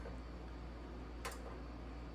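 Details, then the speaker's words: Bertazzoni X365 GGV X vent hood whose light comes on and off: one sharp relay click in a quiet room with no button pressed; the main control board relay switches by itself and is faulty, needing board replacement. "see I hear the clicking noise yeah it comes on by itself so that is be 100% this main relay B is the problem"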